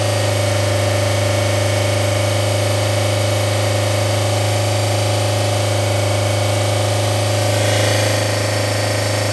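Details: 1990 Toyota Corolla LE 4A-FE engine idling with a steady drone and a repeating stumble about four times a second; misfire from a blown head gasket.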